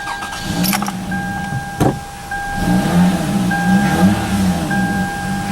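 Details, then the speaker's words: Car with its battery fully disconnected, started using only a GBB 500A peak portable jump starter: steady starter cranking turns straight into an even running engine while the alarm chimes chirp. It starts cleanly and holds idle. Normal cranking and start. "it actually starts the car with no battery now will it keep it going is a different story but it has enough juice in it to actually physically start the car up"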